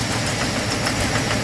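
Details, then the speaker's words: 2007 GMC, after spark plugs, plug wires and cleaning elsewhere: heavy engine vibration and noise at idle, harsh uneven churn; poor pickup, stalling, check engine and traction lights, throttle position sensor circuit high code. Finding: rough idle from shorted 5 V sensor reference circuit. "इजन में कितना ज्यादा vibration है और sound भी आ रहा है customer ने बताया पहले य सही था यह मुश्किल नहीं था"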